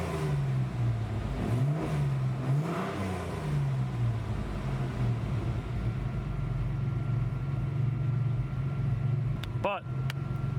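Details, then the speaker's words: 1986 Ford Ranger after replacing a vacuum-leaking brake booster: idle surges up and down about once a second for the first few seconds before steadying; the bouncy idle and poor running remain unresolved. "so the brakes worked but i'ma start it up again and you can see this idle i still have this idle issue"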